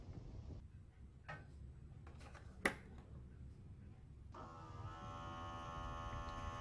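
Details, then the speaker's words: Fujitsu General VGH-630 Hi-Fi VCR: when plugged in, a click is followed by a steady buzzing motor hum that keeps running, then the deck powers itself off; the power indicator still lights; the fault is unconfirmed. "I plug in the power, I hear the motor running inside. After that, the VCR automatically powers off."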